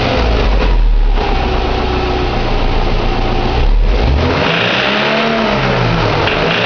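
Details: 2006 Subaru Impreza 2.5i, EJ257 SOHC naturally aspirated H4 boxer, 52k miles, at idle: fast, uneven light ticking about four per second; owner suspects a pulley, timing-belt bearing, piston slap, tappet noise or rod knock, unconfirmed.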